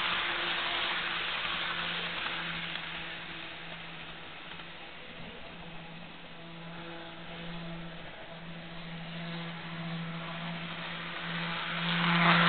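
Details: Jouef Amtrak RTG Turboliner model train, first test run after rebuild with a Kato F-3 diesel drive replacing a worn-smooth worm gear, running away; steady, even motor hum holding pitch, no knocks or catches; normal running.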